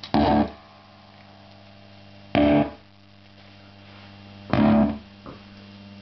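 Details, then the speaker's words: Bugera 333XL valve amp, crunch channel: loud chord bursts drop out abruptly as all lights go out, leaving a steady low mains hum; the amp cuts out unpredictably and reboots onto the clean channel; later repaired under warranty. "now the sound cuts"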